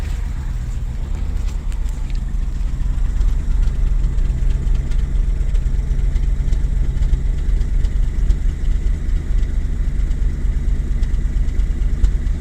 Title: BMW 735i E65 cold start misfiring